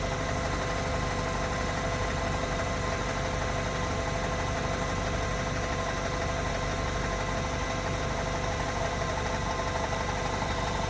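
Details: Mk7.5 Golf R cold idle with a loose, uneven ticking knock about three per second under diesel-like clatter; cam chatter suspected, cause not confirmed.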